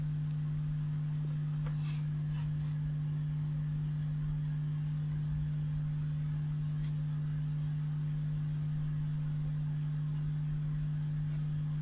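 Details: 1970s Marshall 6400 mixer amplifier under repair: a steady low hum sits at one pitch with nothing over it.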